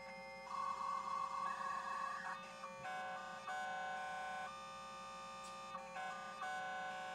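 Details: Dial-up connection attempt over a VoIP phone line on a serial-port modem (US Robotics 56K, Windows 98 SE): warbling handshake with steady tones hopping between pitches and a hiss underneath; the line sounds noisy and the connection poor.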